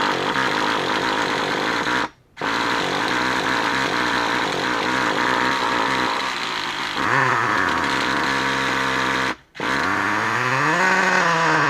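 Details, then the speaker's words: Traxxas Revo 3.3 nitro engine after motor swap, break-in idle tanks: high, buzzing scream holding steady with brief cutouts and a pitch dip; running fine during break-in. "So, as you can hear, it's screaming in the background right now, which is a good thing because it's still running."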